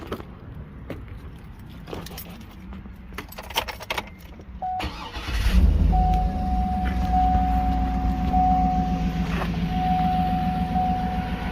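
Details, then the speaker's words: Cadillac Escalade 6.2 after fixing a loose, unbolted starter and disabling the heated-wiper circuit: keys rattle, then a quick start into a smooth, steady idle with a low, even rumble; normal start and idle. "good now sound like a Cadillac instead of 72 Buick you know what I'm saying"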